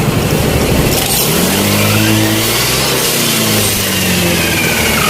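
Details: Yamaha Nouvo Elegance 135 scooter after major service, freshly started with electric choke raising idle: revs rise and fall smoothly with no misses or knocks under road noise; running properly.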